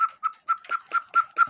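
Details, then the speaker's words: 1908 railroad cuckoo quail clock with count wheel movement: eight quick thin high chirps, not like a true quail; quail bellows suspected faulty, perhaps snagged on the high-note lift bellows by an overly heavy washer weight. "I didn't put leather bellows in it but the even sound like a quail I think there's something wrong"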